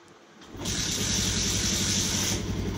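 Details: Bajaj Pulsar BS6 after a MAP sensor replacement for jerking and code P0107: a starter whirr, then the single-cylinder engine catches and settles into a steady, even idle. The check light goes off; it runs clean.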